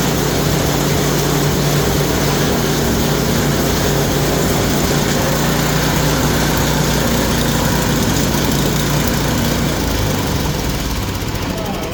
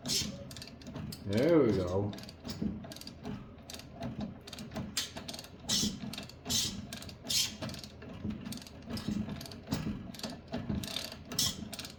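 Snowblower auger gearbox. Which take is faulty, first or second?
second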